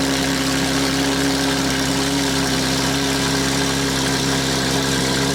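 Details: Porsche GT3 RS flat-six that had been misfiring, idling after new spark plugs and coil packs were installed. Steady, even idle with a constant hum and no stumble or missing beats; it is running cleanly and healthy.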